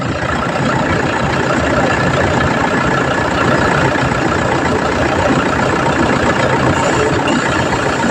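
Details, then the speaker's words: Car idling with the air conditioning on after replacing the AC compressor magnetic clutch assembly; steady, even idle with no grinding, rattle or squeal, the earlier noise is gone. "Na mga boss, so, wala nang ingay."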